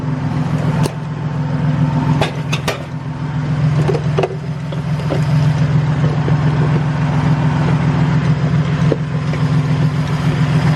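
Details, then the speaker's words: Toyota Tacoma at idle, noise found with a water-bottle listening trick: a steady drone with a faint, uneven ticking rumble from the front belt area, with the belt visibly shaking; idler pulley bearing noise. "so we're getting a wearing noise from this pulley right here and as you can see the belt is like kind of shaky we're getting like a bearing noise from this thing"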